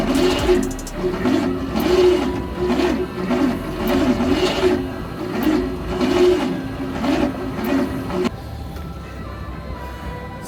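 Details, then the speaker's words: 1986 Ford Bronco, first start attempt after sitting 5 years; solenoid and wires under suspicion. The starter labours at barely one turn a second with a heavy, dragging rhythm. Same slow crank as before; possible cylinder interference, to be fogged. "You can also tell that the starter is being very sluggish and very slow there should- there's possibly some cylinder interference"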